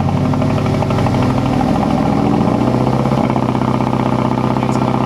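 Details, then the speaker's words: 2006 Mazdaspeed 6 first start after replacing a spark plug: idle still stumbles unevenly, about four hiccups a second with a dip near three seconds; misfire persists, bad coil pack suspected of also ruining the plug. "So we're still having the same problem. I mean, the only thing I can think of is it's the coil pack, you know? And because the coil pack was bad, the spark plug went bad."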